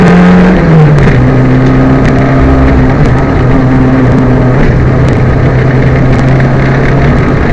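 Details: Loud in-car engine drone at steady revs from a Peugeot 205 rally car on Stage 8, Opposite Lock Stages Rally 2011, with a ragged uneven pulse and small stumbles under load; engine misfire under load.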